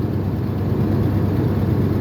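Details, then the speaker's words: 1996 Ford F250 light duty, 326,000 miles, at idle: low, uneven stumbling with missing beats, a heavy misfire worse under load; code P1351 traced to an incorrect ignition control module. "it tries to run and you hear it it just it straight up misses just whole shebang misses and it gets much much worse if you drive"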